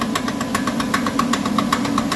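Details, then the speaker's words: Toyota Highlander lifted in the air so the suspension droops, simulating a turning condition: sharp regular clicks, about eight per second, over a steady engine hum, from a failed inner CV joint on the passenger-side axle that seems to radiate from the driver's side. "it's coming from that axle right there on the inner side of it and it you may think that it's coming from the driver's side cuz it kind of radiates the sound will radiate from that side to that side"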